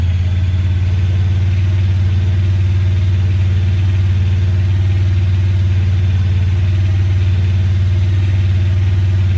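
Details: 2017 Honda Pioneer 1000-5 with code 9-2 at a fast, slightly uneven idle that sometimes prevents engaging gear; cause was factory over-crimped wires broken inside the insulation at the IACV plug, fixed by replacing the plug and crimping new connectors.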